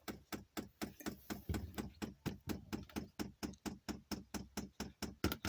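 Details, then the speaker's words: Chinese diesel heater, dosing pump in priming mode: sharp, even clicks a bit over two per second with nothing else behind them; fuel is being pumped up normally. "now you're gonna pump pump in and there's the fuel going up into the thing now"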